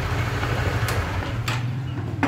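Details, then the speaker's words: Motorcycle running with a newly fitted RK 520 O-ring chain and Driven sprockets: a steady low engine rumble with the chain running quietly, no clatter or slapping, unlike the previous rattling set. "thì khi mà lên cái bộ rk này thì anh em sẽ không nghe cái gì nữa đó không nghe gì luôn rồi"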